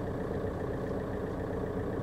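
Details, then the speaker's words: 2002 VW Golf with PD130 diesel engine after injector electrical loom replacement: steady even idle with no stumble, shake or knock, revving cleanly and running smoothly. "listen to that baby purr give it a bit of a ram oh yeah we all bang on guys we have a cauldron of porcelain this the same look like I'm sat inside the shed and there's there's no vibration it's it's running just like it should run"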